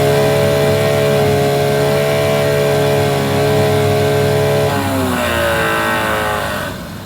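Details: 9.9 hp Mercury outboard that wouldn't start, after replacing the old fuel line: smooth, even run at steady speed, then a clean drop in revs as throttle comes back; running good, the fuel line thought to be the problem.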